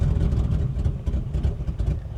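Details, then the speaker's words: 1984 BMW 633 CSi at auction yard: low lumpy idle that sags and surges unevenly, then dies; engine will not stay running. "Yeah, she did not want to stay running for me, so that's all right. We tried. You are alive. That's good. You are breathing. You're not breathing great, but there is a chance you could come back to life."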